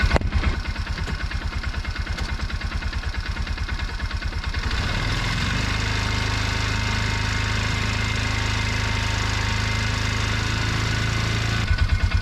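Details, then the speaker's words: Bobcat 3400XL (rebadged Polaris Ranger 500), single-cylinder fuel-injected Polaris 500 with 30 psi at idle but only 10–11 psi key-on; in drive, brake-stood at full throttle, it thumps then drones flat without pulling up, starving from a suspected weak fuel pump. "i'm gonna get on the machine put it in drive hold my i'm basically brake stand the thing put it to the floor and see me lose fuel pressure"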